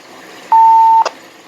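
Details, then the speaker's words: Alinco DR135T USB RIM AllStar RF node: clear half-second tone beep with no hum underneath; noise appears eliminated. "I didn't hear it that time the time is 239 p.m. yeah I didn't hear it so maybe we got to Li elated finally"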